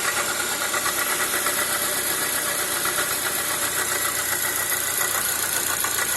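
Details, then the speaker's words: Toyota Corolla (Formula 1 model) idling with accessory belt on: heavy, rhythmic rod-like knock from the belt-driven front, seeming about to break; removing the accessory belt showed it was not the engine but the water pump knocking. "á rogério fazendo favor um barulho é tipo biela mesmo batendo e acabei agora e descobrindo tirando a correria essas horas aqui que tirando essa correia de acessórios identifiquei que não era problema no no motor"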